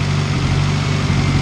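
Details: Honda CR-V turbo build first start on S300 base map, timing belt looking fine, 75 psi oil pressure: steady low smooth idle with voices nearby, no slapping or ticking from belt area, turbo fairly quiet; normal idle.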